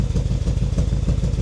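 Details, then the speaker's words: BMW E70 X5M, 4.4 litre V8, 83,000 miles, salvage auction car, at cold start idle: lumpy, uneven chuffing stumbles several times a second, smells really rich, clearly misfiring; no knocking. "So it smells really rich. It's clearly misfiring."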